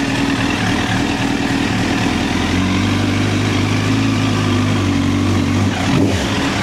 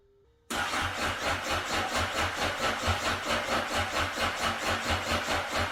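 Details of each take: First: 2009 Honda CBR1000RR Fireblade four-cylinder at 61,211 km, started with a jump pack: steady even hum with a brief rev near the end, no misses or rattles; runs healthy. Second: 2009 Honda CBR 1000 RR, bought unseen after sitting outside in an auction lot, battery not fully charged: catches and settles into a lumpy idle surging about twice a second. Rough running after storage.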